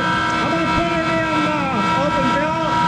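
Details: Monarch 10EE lathe, 3-phase motor-generator DC spindle drive, speed switched back and forth: loud hum with fixed tones and sweeping pitches; extra loudness from motor-generator bearings needing replacement.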